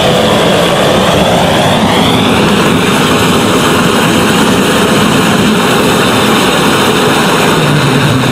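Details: Restored 1930s blowtorch, possibly Montgomery Ward, tank cleaned and seals replaced, half-filled with Coleman camp fuel, about 10 pumps, burner preheated; loud steady roar with rising hiss settling to full flame, no sputtering or popping; normal burner.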